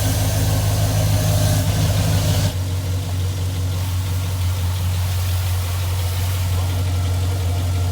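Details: 2002 Chevrolet Tahoe 5.3L started after an oil pan replacement (the old pan had a stripped drain plug), with the drained oil reused. Steady, even low idle rumble with no knocks or ticks; sounds good, with no leaks found.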